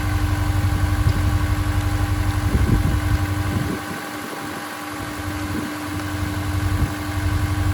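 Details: Honda S2000 at idle after new Gates belt, part 6PK1460, replaced a squeaking one; even steady low drone with no chirp or squeal, belt drive quiet and healthy.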